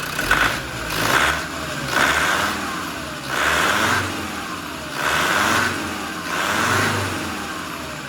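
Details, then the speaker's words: Land Rover Defender 90 turbo engine after top-end rebuild, first runs: six smooth, even rev blips with a clean turbo whistle, no tapping or piston slap, good compression, no leaks; healthy engine. "And it sounds like it's got good compression. It's revving up fine. Turbo sounds good. There's no leaks on it. It sounds healthy."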